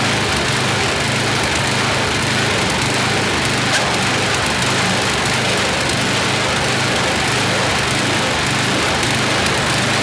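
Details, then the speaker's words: YardMan snowblower small engine test-run after an auger belt fix. Races at a fast, steady buzz with faint unevenness. Speed is set a bit too high and needs tuning by pulling back throttle; also slightly stumbly, idle circuit may need checking. "I got to tune the engine a little bit more. It's running a little too high, so we're going to pull a little throttle out of it because that's just a bit too high."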